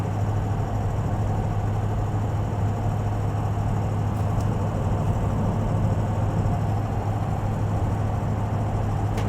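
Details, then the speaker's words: 2004 Ford Excursion 6.0L Powerstroke diesel, 118k miles, heard from inside the cabin cruising at about 55 mph, 1,500–1,600 rpm: low, steady, smooth drone; smooth shifts, no squeaks, creaks or rattles; normal highway cruise. "It's just silent. No weird creaks or squeaks."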